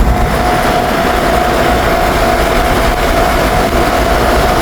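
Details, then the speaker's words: Six-wheel truck test drive after rear differential ratio change: steady mid-pitched howl over road rumble from the left front wheel; owner unsure whether wheel bearing or tire, feels like the tire, unconfirmed. "ล้อหน้าซ้ายนะครับหอนตอนนี้หอนเหมือนลูกปืนเหมือนล้อจะหลุดเหมือนเหมือนยางนะครับ"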